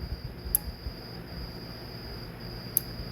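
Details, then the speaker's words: Aoycocr smart switch after repair (capacitor refitted), plugged in and tested: two crisp single relay clicks about two seconds apart over quiet background; relay switching cleanly, normal clicking. "you can hear it clicking."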